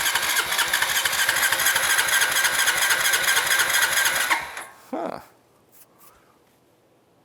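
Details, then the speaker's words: 2006 Honda Rancher 350 (TRX350) barn find after carburetor work, fuel on reserve: rough, uneven single-cylinder running with a loping beat near 130 a minute that falters and dies after four seconds; fuel overflows and pours out of the float bowl; flooding carburetor. "Yeah, she's overflowing again. It's flooding it. She's just pouring straight out of that bowl."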